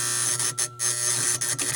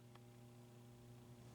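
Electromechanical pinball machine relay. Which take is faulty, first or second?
first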